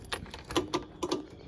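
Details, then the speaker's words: 2004 Trailblazer 250 two-stroke not starting: a handful of sharp dry clicks with no cranking or firing; the sister machine's fault was a bad key switch. "couldn't figure it out until I figured out that it had a bad key switch which it's in the box but this one it doesn't"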